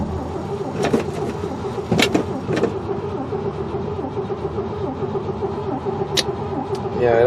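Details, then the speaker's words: 1968 Chevy truck not run in 15 years: starter cranks steadily with a few clunks but never fires; no spark. "I don't think she's got spark well I was kind of hoping that this would go a little bit easier than this"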